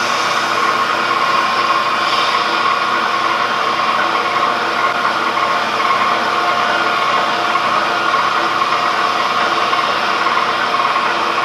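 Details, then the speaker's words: Cincinnati D1 Toolmaster mill under restoration, variable-speed drive at higher speed: faint repeating high squeak over steady whir as belt tension rises; suspected loose bushing in variable-speed pulley, not confirmed. "when you put it at the higher speed and gets more attention on it starts squeaking through that that's a bushing or something it's loose"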